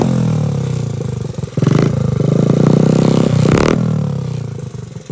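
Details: Restored 1986 Honda Z50R pit bike with aftermarket exhaust: small single cylinder revs cleanly from idle through several quick blips and settles back smoothly; runs well.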